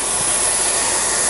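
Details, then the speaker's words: Tatry used radial arm saw for aluminium cutting, pneumatic clamp system: a steady, even hiss of adjustable air blow-off with no pulsing or sputter; blow-off working normally. "And I don't know if you can hear that on the way, but it's the wee blow system here is working, and that can be regulated as well."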